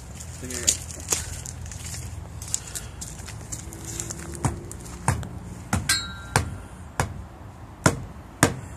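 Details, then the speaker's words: Tire-iron thump test on an older 110 truck's tire during a weekly inspection: a row of solid, sharp thumps as the iron bounces cleanly off; the correct tone for good tire pressure. "That's the way it's supposed to sound. The tire iron's going to bounce back off of it."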